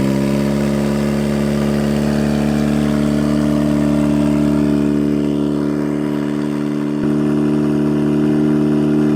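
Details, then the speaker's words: 1991 Mazda Miata NA with eBay turbo build at operating temperature: steady hum holding around 2,900 rpm instead of settling; idle too high, needs tuning. "So as you could hear and tell, that idle is, when it got up to operating temperature, it's climbing. It's at like 2,900 RPM."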